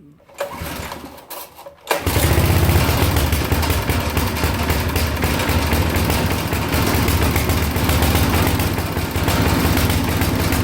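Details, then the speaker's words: Briggs & Stratton small engine that only runs with choke closed, even hot: starts after a couple of pulls, then rough, uneven putter hunting for fuel, wants more gas; lean running, carburetor diaphragm suspected. "it does run, but it doesn't run right. It sits there and it wants more gas."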